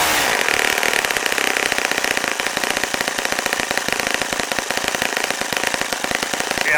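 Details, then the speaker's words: Saito FA-65 four-stroke model engine at low idle, high-speed needle set for flight: fast, lumpy popping buzz not picking up cleanly; idle mixture quite rich, target ~2500 rpm versus previous ~3300 rpm idle. "sounds right now here's the Archaean increased by it is quite rich"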